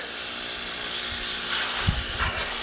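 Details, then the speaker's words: Old AC unit with no refrigerant left, fan jammed and compressor switched on: a steady loud hiss with a couple of dull thumps as gas escapes through a hole in the rotted coil. "hear that I'm going to reach around here and shut it off yep it blew a hole somewhere in here where it's rotted"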